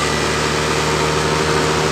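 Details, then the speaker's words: Honda Beat ESP scooter that stutters while riding even after a shop replaced its rollers. On starting, the idle rises by itself and sits steady but too high with no throttle applied; the finding is a misadjusted throttle position sensor. "ketika saya hidupkan tiba-tiba langsam dari motor ini langsung tiba-tiba naik seperti ini kita posisikanedal gas kita tidak tarik rmnya se kembali seperti ini gasnya naik seperti"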